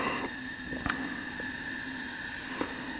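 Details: 1974 Yamaha TX500 after 27 years in a barn, leak-down test on the right cylinder with the engine stopped: a constant airy hiss escapes through the carburetor; the intake valves aren't sealing, with carboned-up seats suspected.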